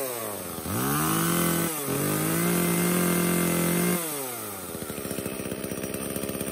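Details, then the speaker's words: Echo CS-305 chainsaw after replacing cracked purge pump (primer) bulb and clogged air filter, started with choke and trigger lock: fires right up, revs cleanly twice, settles into even steady idle; no-start fixed. "so this is a super easy fix all it ended up being was that purge pump bulb and we are back in business"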